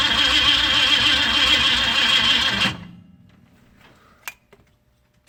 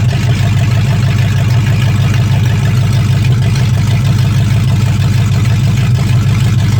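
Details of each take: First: 1965 Ford Mustang fastback, 289 V8 with Tri-Y headers, first start attempt after sitting 44 years, cold day, quick-start sprayed: starter cranks evenly about 3.5 turns a second but never fires; coil was never fed power, so no ignition. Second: 1965 Mustang fastback, 289 V8 with Tri-Y headers, first start after sitting 44 years, freezing cold day: deep, steady V8 burble at a fast cold idle with an even beat and no heavy knocking. Normal idle; only a dripping carburetor needing a rebuild.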